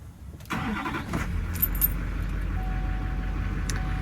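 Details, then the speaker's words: 2006 Chevrolet Silverado 3500 HD work truck, believed diesel, 165,000 miles: short crank, catches immediately and settles into a steady low rumble with no misses or knocks; fires right up, normal cold start. "Yes. This big boy fires right up. Not bad."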